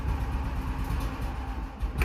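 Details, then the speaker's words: Engine just started and still cold with choke turned off: uneven, surging low chug that stumbles and won't take throttle cleanly; smooths out once the choke goes back on. "see if she'll take some throttle little cold come on BBE oh come on work through it it's a little cold come"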